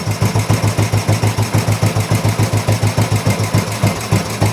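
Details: Old Royal Enfield 350 single after carburetor work, first start: steady even thumping at idle, evenly spaced beats, no knocks or stumbles, strong induction noise; running sweetly.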